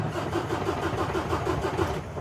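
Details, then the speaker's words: 2017 Kenworth T680 with MX-13 diesel, no MIL, ECM not powered, suspected bad connection: steady rhythmic starter cranking at about six pulses a second with no firing; cranks but never starts. "So, ultimately guys, right if I try to start it, she's just going to crank."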